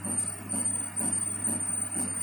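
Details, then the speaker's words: Flying shear model servo drive: a whirring cycle repeats about twice a second with a thin high squeak each pass; the drive is slipping, and owner suspects backlash and a need to adjust the mechanical system. "Yeah, this thing is definitely slipping, so I need to find a way to fix that."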